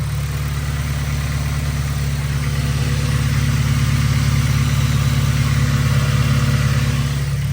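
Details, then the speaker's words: Acura RSX Type S after header install (gasket was missing): steady low idle with faint quick ticking on the exhaust note from a small exhaust leak at the pipe joint underneath. "you guys can probably hear the little exhaust leak it's coming from where that that pipe is right underneath there"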